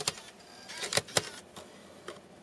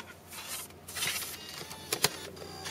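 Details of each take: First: Mac Mini running Snow Leopard with slot-load drive, burned DVD inserted: a few sharp clicks and a short motor whirr as the disc is pulled in and tries to spin up; owner reports it then rejects burned discs but plays retail DVDs. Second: Mac Mini running Snow Leopard, slot-load drive with burned DVD (retail DVDs play): faint whirring that never reaches speed, sharp clicks and a brief rising hum, then the disc ejects; drive fails to spin up.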